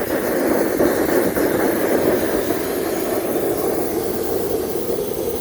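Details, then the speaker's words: Home-built Kwiky waste motor oil burner (used motor oil, possibly mixed with gasoline) misting only slightly: steady hissing low-mid jet roar with no pulsing; owner suspects too much air pressure going through it. "it wasn't for those poles you wouldn't be here in the jet noise"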